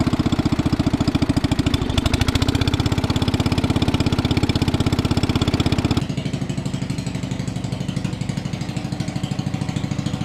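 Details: 1961 International Cub Cadet Original, 7 hp Kohler single-cylinder, started on choke and still a little cold while warming up: regular beat, slightly uneven while cold, easing as it settles; normal running.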